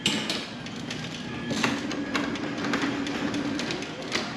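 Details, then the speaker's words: Genie 6172H-0 wall-mount jackshaft opener on C.H.I 5916 insulated steel door: a few dull thumps and a short rattle as the door starts down, then steady low hum; this shudder is normal by design. "it shakes a little bit. You hear it's not bad, but just something to know that these are designed to do that."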